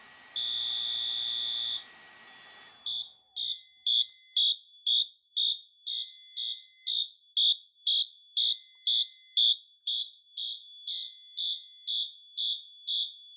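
A steady high horn tone, then even pulsed blasts about two per second: a releasing panel alarm in march time, consistent with pre-discharge.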